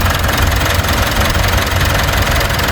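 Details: 2016 Mitsubishi Montero diesel idling after replacing and tensioning both drive belts. Steady clatter with an even, unchanging beat and no belt squeal or chirp; smooth and healthy.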